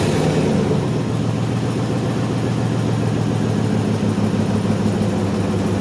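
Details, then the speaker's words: Chevy 1500 with a 4.8L V8, first start after fitting remanufactured fuel injectors and cleaned fuel rails, following short bumps to build oil pressure: smooth, even idle with a low steady rumble and no misses, ticks or stumbles. The engine runs healthy. "Let it get a little bit, each time a little bit longer, all right? This time give it about 3 seconds. All right, fire it up, let it run."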